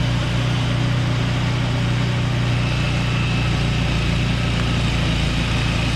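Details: Free Craftsman two-stage snowblower, unstarted for 2 years with fuel in it, fired right up on fresh gas: steady, even single-cylinder drone, no surging or hesitation, runs great.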